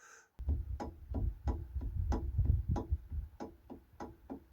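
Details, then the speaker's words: Monty restoration centre axle wheel hub on its thickest spacer collars, lock nut just nipped: sharp, evenly spaced knocks about three a second as the wheel is rocked, showing far too much free play in the hub bearing. "What about free play? Well, you can see that moving, and you can actually hear it if I shut up."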